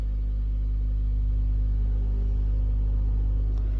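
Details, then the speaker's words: DIY 12-inch passive speaker driven by a 12V DC power amplifier, volume raised slowly toward maximum: a deep, steady, unchanging low hum through the speaker. "Itu ada suara dengungnya ya. Mungkin kalian bisa dengar itu suara dengungnya. Ini suara dengungnya."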